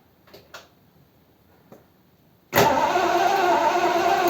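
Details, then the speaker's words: Triumph Stag after a top-end rebuild with heads just refitted. Cranked at closed throttle, it spins evenly for two seconds without catching: no ignition spark, and the spark proves intermittent, there then not. "there's nothing there. Don't understand that. Give it another turn. Okay. Do it again. Okay, stop. Go on, do it again. No. Yeah, kind of intermittent."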